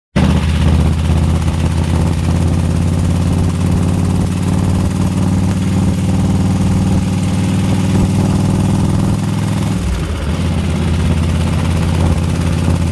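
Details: 2004 Harley FLHTCUISE 103 at idle: loose, lumpy V-twin idle with a light ticking tapping under the beat; owner asks what the horrible tick is, source unidentified.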